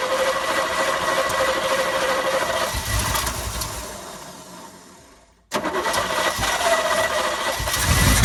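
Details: 1972 Chevy K10 4x4 with a 350, sat 20+ years, fed fuel by hand; it catches, runs ragged, sags and nearly dies; owner thinks he flooded it and suspects a carburetor problem causing over-fuelling; rough running, will not idle.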